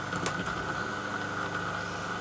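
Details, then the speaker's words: Single-phase Crompton Parkinson induction motor running: even, quiet hum with one steady thin tone and no knocks, scraping or rattle. Normal motor run; the earlier noise was traced to a loose cooling fan. "and that's the kind of noise we want out of it none at all"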